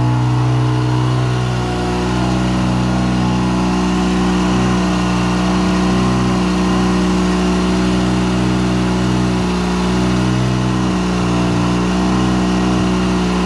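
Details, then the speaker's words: First start of a 13B turbo rotary in an RHD JDM FC3S RX-7; idle air control (BAC) not fully tuned, smoke from anti-seize burning off. Loud buzzy drone with slight wavering hunt in idle after restart: normal running after start. "So anyway, let me fire it up real quick again and show you it's working much better. There we go."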